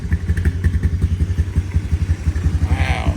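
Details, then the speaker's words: 2012 Honda Recon electric-shift ATV, sat over six months, in neutral at 58 degrees, started first try without choke: even steady single-cylinder thump at idle, no misses, no smoke; normal idle. "let's give it a crank Wow how about that first try started right up that's amazing no smoke"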